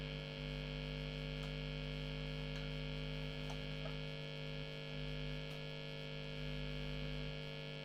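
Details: Late-1980s Hiwatt 100R Trinity tube guitar amp with lead unplugged: loud, buzzy mains hum fading in and out; intermittent faults, dry joints suspected.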